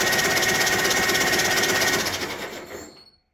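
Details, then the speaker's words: Old tractor bought locked up, below 32°F, starter touched directly to bypass the switch: brisk, even, strong cranking about three turns a second before winding down; the starter works well, though no oil pressure shows. "Thinks over pretty darn fast. I think the body of the starter seems pretty good."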